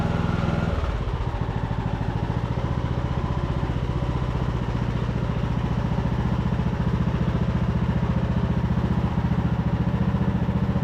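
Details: Craftsman YT3000 riding mower (Husqvarna-made), revived after about 5 years sitting, forward/reverse drive test: steady, even engine beat with no whine, squeal or grinding; hydrostatic transmission and pulleys sound healthy.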